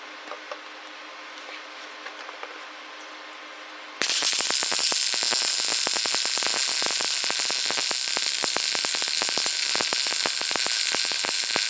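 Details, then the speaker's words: New Lincoln 180i MP DV MIG welder after raising heat from five to seven: steady, even frying-bacon sizzle, a good stable arc; weld slightly hot, wire speed possibly a little fast. "that sounded better that sounded like we were welding"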